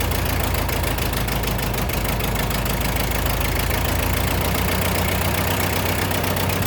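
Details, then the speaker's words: Ford 8N tractor with a carburetor leaking while running and the float suspected stuck, float height not yet adjusted: the engine chugs unevenly at idle, beats stumbling and catching irregularly; sputtering, likely fuel delivery. "Uh the carburetor is leaking uh while it's trying to run. It's sputtering. I I think the float is getting stuck still."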